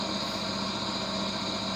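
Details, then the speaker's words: Vintage HPA wheel balancer, probably Danish, early 1960s, running with no added weight and not bolted to the floor. Steady even whirr and hum, no knocking or wobble beat, only slight vibration from sitting unbolted; zebra indicator disc stays stable. Normal running. "We do not have any extra weight in it, so it should be quite balanced. And there it goes. Of course, this has not been bolted to the floor, so there will always be some"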